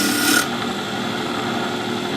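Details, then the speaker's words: Wood lathe turning a top blank now round, sharp gouge cutting: steady, unbroken rasp with no corner ticking; chips now come off in longer strings, a smooth continuous cut. "once you get your corners off you've got a nice good sharp - it'll come off in strings and depends how dry the wood is"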